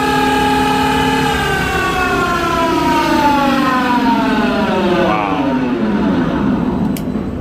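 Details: Smithy AutoMate LT1440 CNC lathe, original spindle after about 2 years and 800 hours, noisy from new and now unbearable: a loud layered whine with tones sliding down as it coasts off; the worn bearings feel rough and ticky, and the spindle was replaced.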